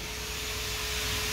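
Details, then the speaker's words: 2005 Mercedes E55 at 165k km, cooling fan activated via diagnostic tool during check-up: smooth even rush of air with faint steady hum, no rubbing, ticking or wobble; normal, quiet cooling fan operation. "nice it's been nice without any sound amazing that's a good one"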